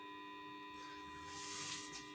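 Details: Tube power amplifier power supply at switch-on, about 600 V anode supply planned: steady loud, sharp-edged hum from the power transformer, which is not yet varnish-impregnated; the hum is expected to stop after impregnation.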